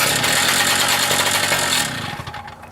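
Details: Small single-cylinder engine with carburetor issues, started on the first pull at idle on gas dribbled down the carburetor: rattles and pops, then settles and fades off; it fires and runs without obvious trouble.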